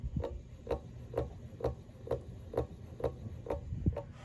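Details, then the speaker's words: 36-inch Emerson Designer two-speed ceiling fan running on low: a light knock about twice a second, once per turn. The bearings are good; the noise comes from a loose switch housing on a worn bushing. "we'll start it up on low this one here is two speeds just like all of them are as far as I know all of them are you can see it makes a little bit of a banging noise"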